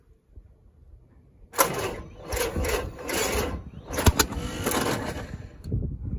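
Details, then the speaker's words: 1941 Willys MB flat fender, after sitting 7 years, cleaned points, fuel sprayed into carb: rough cranking, ragged catching, sharp pop back through the carburetor; cylinder 1 and 2 plug wires reversed on distributor. "i figured out that the number one and number two plug wires were reversed on the distributor"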